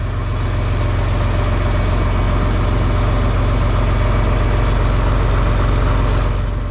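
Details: John Deere 4020 tractor just started on a battery charged overnight and left to heat up, in the shop for a hydraulic leak up front. A deep, steady diesel chug at idle with even firing pulses and no knocks or misses. A healthy idle.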